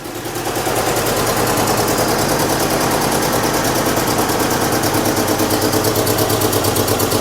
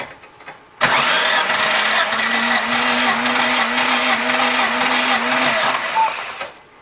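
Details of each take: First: 1998 Chevy Tracker/Suzuki engine with varnished fuel, plug wires out of firing order: harsh, choppy, stumbling running with heavy clatter, a misfire from the wrong firing order. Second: 1998 Chevy Tracker during compression testing, cylinders reading about 175: starter spins with a steady whine for about five seconds, even beats, no drag; healthy cranking.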